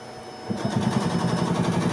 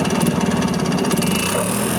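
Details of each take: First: 1986 Yamaha G1 gas two-stroke golf cart: cranks but won't start after shutting down while driving, choke makes no difference; steady starter churn, even compression pulses about seven a second, never catches; fuel smells like diesel, carburetor clogged, needs cleaning. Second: 1986 Yamaha G1 gas golf cart, two-stroke, after carb cleaning: runs continuously with a buzzy, pulsing note that rises slightly with throttle, no stalling. It had died while driving and then cranked without starting, with fuel smelling like diesel. Repair successful.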